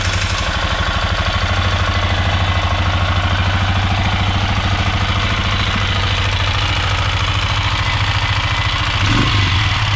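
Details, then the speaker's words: Polaris Sportsman 500 ATV, test run after top-end rebuild: loud single-cylinder idle with a regular tapping knock about three per second, cause unknown; owner may refit the old timing chain tensioner; knocking at idle. "so if anybody's got any idea what that could be I don't know I might try putting the old chain tensioner back on the automatic hydraulic timing chain tensioner and see that makes a difference"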